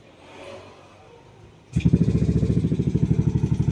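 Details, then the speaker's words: Yamaha Nmax v2 before engine refresh, side cover opened and tensioner already replaced: quick, even clatter over the idle, louder and busier than it should be; still noisy, magneto not ruled out, source undetermined. "So, maingay pa rin siya, no? Hindi rin natin masasabi sa magneto."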